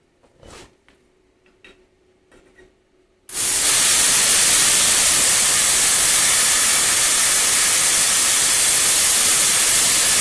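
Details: Lotos LTP5000D plasma cutter turned up to 50 after poor cutting at 30: after quiet clicks, loud steady even hiss for seconds without sputtering; solid cuts, clamp lead cable not hot; normal plasma cutting.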